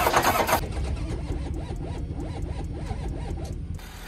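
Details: Ford Power Stroke diesel at 14°F, hair dryer warming intake, sixth try: starter churns slowly, about three turns a second, for three seconds, no catch; cold crank no start, fuel gelling suspected.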